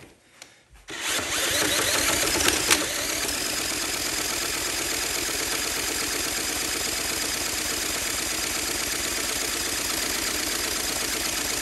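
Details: Honda CT70K1 from a swap meet being spun by a drill: long steady high whir with a couple of faint pops that never catch; good spark confirmed, cranks but won't start, cause not confirmed.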